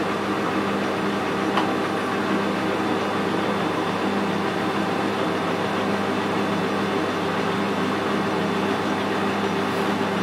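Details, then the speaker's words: Lathe lead screw engaged with half nuts after power feed reassembly, camera microphone: even mechanical hum and steady whirr, no rhythmic clanking or grinding, definitely much quieter than before repair; normal running. "Engage the half nuts, and they're working fine as well. Definitely a lot quieter than it was. Definitely."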